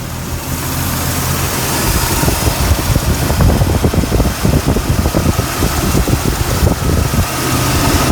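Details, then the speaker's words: 1999 Jeep Cherokee XJ 4.0 inline six after new Champion Copper Plus plugs, distributor cap, rotor and wires, at normal operating temperature: a steady, even low rumble at about 725 rpm, no misses or ticks. Normal warm idle. "Okay, idling now, normal operating temperature here. Idling, it's like around the 725 range, I guess. Lower, sounds good."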